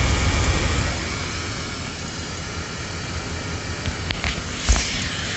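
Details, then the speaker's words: Vehicle after battery charged 10 minutes and boosted to start: steady even low idle hum, no knocks or whine; alternator charging at about 14.5 V, running normally. "after about 10 minutes of charging this battery and then boosting it it started this engine and now it is being charged at 14 and a half 14 slightly over that from the alternator"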